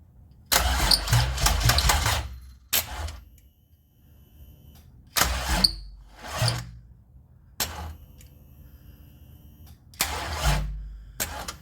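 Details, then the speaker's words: 2004 Pontiac Grand Am 3800 supercharged with 5-speed swap, first start attempt after engine harness wiring, starter jumped with a screwdriver: short cranking bursts with long pauses, never catches; battery too low, left to charge. "Huh, and of course the battery's too low now. Alright, well, I guess I'm going to let it charge up for a little bit."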